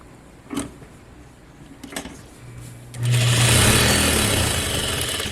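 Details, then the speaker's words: Juki DDL-8700 industrial sewing machine during thread tension adjustment after tightening one rotation: a few handling taps, then a smooth, even, fast whir with a low steady hum and no knocks; healthy normal running. "love that sound okay that bottom one we just did looks pretty nice"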